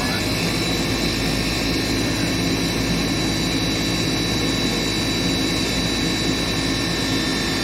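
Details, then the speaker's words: Furnace that was in lockout from a frozen inducer motor, freed by hand-spinning; filter dirty: loud steady blower rush with a thin whining, humping sound as the aging inducer motor wears out and needs replacing. "So that's basically all that's wrong with the system, is that you can hear it kind of has like a weird humps, whining sound to it. You can tell that it's getting really old."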